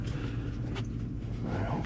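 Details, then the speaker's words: 2014 GMC Sierra, 220,000 miles, after replacing failed aftermarket O2 sensors with genuine GM ones: even, low murmur holding steady with no stumble or hunting; smooth, healthy idle, much better than before. "This car is just purring perfectly."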